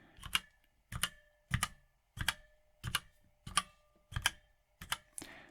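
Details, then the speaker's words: Redragon K556 Devarajas full-size mechanical keyboard, Outemu switches, rigid metal-coated case: about ninety keystrokes a minute, each sharp clack followed by a thin metallic ring that resonates after every key; case ping, possibly from the metal case, not confirmed. "pingy I trust you can hear that but let's just get this little closer in case you can hear how it rings it resonates after each keystroke"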